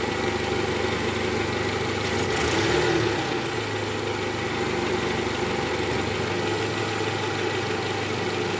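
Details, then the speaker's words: 2012 Toyota Camry 2.5 V, 2AR-FE engine, 167,000 km, in reverse with AC on, after the repair for the worn, loose balancer shaft: even idle with a soft, steady hum; the earlier diesel-like harshness is gone. "Oke suara mesinnya sudah kembali normal ya guys bunyi di awal tadi udah hilang"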